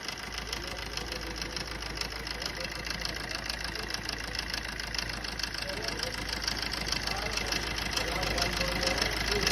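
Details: Swift diesel engine at idle: sharp, regular tick-knock about twice a second over the diesel clatter; source not yet identified. Engine knocking.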